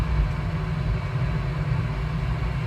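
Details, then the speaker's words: Goodman home furnace at startup, during a no-heat call where the blower motor hangs up: steady, even low hum with no rattle, scrape or wobble as the combustion inducer fan runs with the igniter; normal inducer fan operation. "up that's the combustion fan running right now igniter and the"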